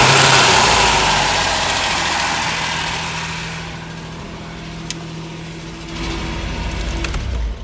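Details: Ford Sierra Mk1 Estate 4x4 Ghia 2.8i after starter work, run briefly with no coolant: settles to a smooth, even idle after a rev, no puffing or ticking from the exhaust; sounds healthy.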